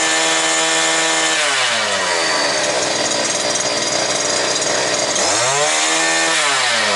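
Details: New two-stroke brush cutter, previously not starting, running bare without shaft, gearbox or line at full throttle, about 9900 rpm, just under 10,000, judged normal by sound. Scream drops off and climbs back cleanly to a steady high pitch without stumble: healthy.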